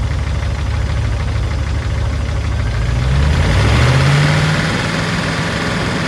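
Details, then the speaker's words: Land Rover P38 Range Rover V8 warming up after sitting all winter, oil freshly changed, Liqui Moly and Rislone added; irregular light lifter ticking over uneven idle, loudest on right side, fading after minutes of running; suspected sticking valve or lifter. "Now that it's starting to warm up, you can hear the ticking from the lifters."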